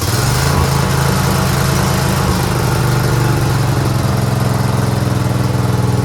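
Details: Craftsman GT6000 garden/snow plow tractor at 26°F: loud, lumpy, hunting engine note, keeps running only with choke on; stalls past half choke; owner blames gas left sitting in the carburetor all year without a fuel shutoff.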